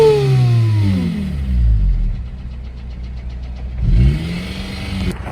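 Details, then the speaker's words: 2008 Honda Civic Si, K20 engine, six-speed, in cold weather: quick free revs with a fast light clacking as they fall; the block was already checked, and valve or top-end noise is suspected, not confirmed. "what noise is the valve clacking valve band or the lma what do you guys think"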